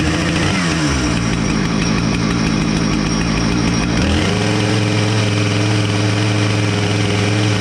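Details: Husqvarna 455 chainsaw, homeowner's saw brought in for a chain oiler that wasn't oiling the bar, started after repair with bar and chain refitted: small two-stroke catches and settles into a steady, even buzz that steps up slightly after four seconds; runs cleanly.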